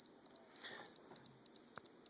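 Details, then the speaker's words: Sony tape camcorder with a brand-new tape inserted: short high-pitched beeps repeating about four times a second while an eject warning shows, then the tape ejects; it will not record or play. "and it just beeps and it ejects so if you try to record or do anything you know try to record anything it just doesn't do anything"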